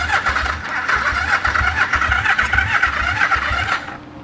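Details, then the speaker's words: 1974 Yamaha TX500 twin after 20 years stored, just refueled: the starter churns at a steady chugging beat of about four pulses a second with a whirring motor but never fires. It has spark; owner suspects a fuel supply problem. "I am getting spark. There's a possibility it's not actually getting fuel."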